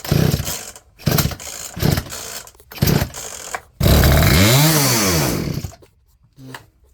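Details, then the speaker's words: Poulan P3416 34cc chainsaw with new Hipa carburetor, previously flooded, high-speed screw set but idle not yet: short revving bursts then a long rev that sags and dies instead of idling; owner wonders if chain is too tight. Will not idle. ">> She's not idle now."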